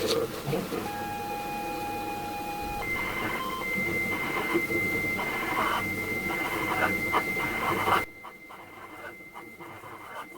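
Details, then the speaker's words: ZX Spectrum 128 +2 game tape played on an alternative external player instead of the faulty built-in drive: steady high whistle then fast, even warbling chirpy bursts; normal cassette data loading tones, tape likely in decent condition. "well that sounds a lot better because that sounds more like what i would be expecting a cassette tape to sound like on an 8-bit machine"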